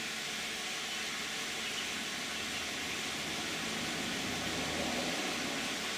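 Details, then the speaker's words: 2010 Toyota Camry 3.5 V6, 93,000 miles, Pennzoil Ultra 5W-30 synthetic with Wix filter, idling with climate control on: steady, even hum under constant blower rush, no knocks or surges; normal idle. "This is what it sounds like with all the lights on. And now with the climate control on."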